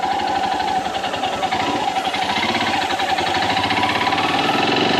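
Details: Royal Enfield Himalayan BS VI single-cylinder at cold morning idle: uneven tapping knock about three times a second over the firing, occurring only in the mornings; cause unknown, unresolved at service.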